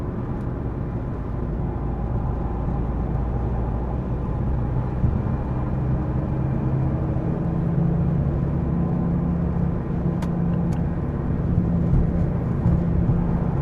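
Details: 2015 Mazda 3 sedan (BM), amplified recording while driving: low steady pulsing drone rises out of road rumble midway and holds; source not identified.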